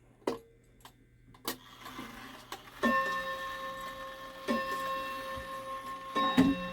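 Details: Shanghai 555 clock after chime adjusted upright and movement mounting padded with sawdust; clear even bell strikes over quiet ticking: normal hour strike.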